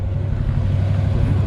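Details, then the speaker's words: 1964 Chevrolet C10 V8 automatic, driving while still warming up: deep, even low rumble with steady beat, no misses or rattles; normal iconic V8 exhaust note. "great sounding exhaust it's like that iconic"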